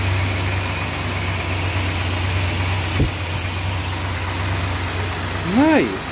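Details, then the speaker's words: Freshly rebuilt Mopar 440 big block V8 in a 1966 Chrysler New Yorker at first startup after installation: steady, even idle with a deep smooth beat and no knocks or misses. Normal idle. "she's running sweet it's amazing my first rebuild she sounds Lush"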